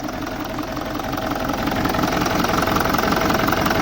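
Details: BMW E65 4.4D V8 common-rail diesel, 242 kW, EDC16C31 ECU: lumpy, uneven idle thumping about three beats a second, only two injectors working per bank, so four of eight cylinders not firing, running like a four-cylinder.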